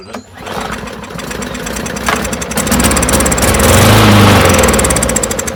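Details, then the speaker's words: Non-running push mower after applying lubricant: catches rough, popping and spitting, blowing debris out, not drawing fuel through the carburetor, maybe flooded. "yeah you could hear it popping and see it blowing crap out so it's not drawing anything through the [Music] carburetor at all probably just flooded"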